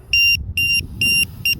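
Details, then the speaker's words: RC boat with Z LiPo packs: four sharp high-pitched beeps about twice a second over a low rumble as the precision voltage alarm warns the cells have dropped to about 3.66–3.73 volts. "s clear out there in the middle of the river and I heard it that's awesome so let's check the voltage here"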